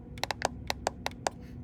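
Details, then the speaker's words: Epson ET-3850 ink tanks: about seven sharp plastic clicks in under two seconds as the C, M and Y tanks are pressed, black silent; owner suspects a cracked cartridge or air, unconfirmed. "But if you actually click on C and M and Y, there's actually something that clicks them."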